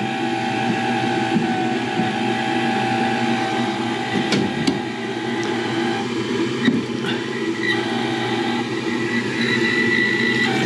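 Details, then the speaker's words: Furnace with no heat at -6°F outside, thermostat jumped: draft inducer motor gives a steady drone with rough, uneven humming and faint rattles; bearings are going out. "all right that don't sound good at all"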